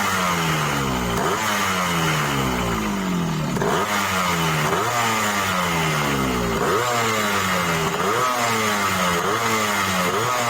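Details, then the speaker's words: Yamaha RX King two-stroke after replacing crankshaft seal for heavy smoking: repeated rev blips rise and fall cleanly with crisp, even rasp and no knocks or rattles; engine runs smoothly and barely smokes. "Dan suaranya udah halus juga nih bro ya."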